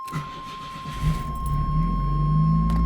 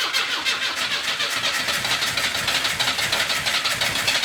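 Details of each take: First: 1981–82 Camaro/Firebird after sitting about 25 years, about 30°F outside, starting for a drive: brief crank catches quickly and settles to a steady, fast high idle over a buzzer that then stops; starts normally. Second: 1981 Camaro (titled as a 1982 Firebird), sitting in a garage for 25 years, fuel-injected, injector pulsing: steady fast cranking at roughly four turns a second for seven seconds without firing; owner suspects too much fuel or flooding.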